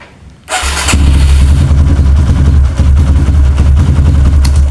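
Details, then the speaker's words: Kawasaki KLX with a new battery, fully charged then charger removed, in a repeated-start test: brief strong crank, catches at once and settles to a steady idle; the battery managed 13 starts and is judged normal so far. "Nah, ini mampu 13 kali starter Pak ya. Nah, untuk sementara kita nyatakan aki masih normal Pak."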